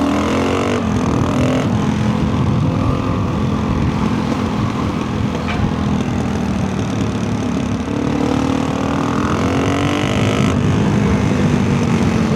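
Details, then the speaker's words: Rebuilt big-bore dual-sport single with tuned carburetor, 340 km since rebuild, riding on snowy trails: hard, steady pull at nearly full throttle with even exhaust note, no misfire or stumble; healthy engine, owner considers a bigger main jet. "W okay that was pretty much whole throttle and that thing rips"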